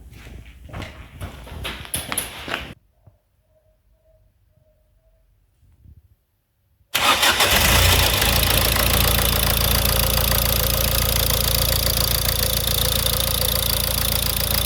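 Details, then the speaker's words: Diesel engine after a self-done rebuild following severe damage, first start after spinning it on the starter with glow plugs removed (some oil came out), timing belt unchecked: after a pause it catches at once and settles into a steady, even, quiet idle. "Маніпуляція свічками дала свій результат. Двигун запустився дуже чітко, все тихо працює."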